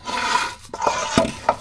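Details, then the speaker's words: Chevy NBS truck (160,000 miles) front wheel bearing spun by hand during drop kit install: dry, gritty rasp with rough scraping patches; the wheel bearing is worn out. "Wheel bearing. Hopefully you can hear that. Making a terrible noise there."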